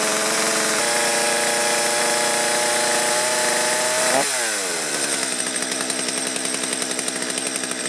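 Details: Stihl chainsaw, previously hard to start and bogging, after carburettor work set to factory settings and warmed up: it holds a clean high rev, then drops smoothly to a steady idle without stumbling; it runs properly now.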